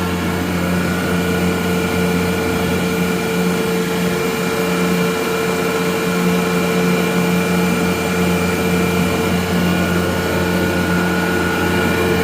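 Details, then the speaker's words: Gardner Denver Electra Screw rotary screw compressor (EBE99K), 24,873 hours, freshly serviced, walk-around just after start-up at 57° ambient while building pressure; quiet, steady even hum with constant tone, no knocks or rattles; normal running. "Walk around with the unit running. Very nice, quiet unit."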